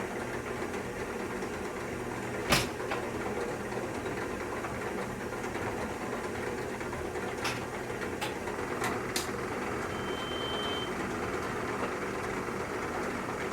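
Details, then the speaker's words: CAT 906M compact wheel loader diesel, nearly 12,000 hours, cold start at about 60°F after injector replacement and trim code update: smooth, steady idle heard from the cab with a few handling clicks; previously choppy and rough when cold. "Oh yeah, that runs a lot smoother now in the morning. Can hear the difference in the cab right away."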